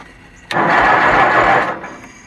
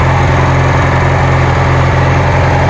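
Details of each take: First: Kohler Magnum 20 on a Wizard garden tractor, second start attempt after cleaning the gas tank, hooking up the fuel pump, setting an adjustment about 1.5 turns and fitting an old recharged battery: about a second of cranking, no firing, battery suspected weak. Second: Kohler Magnum 20 engine on a Wizard garden tractor after repairs, just started after priming and choke: steady putter at about three beats a second with no stumbles or surging; idling normally.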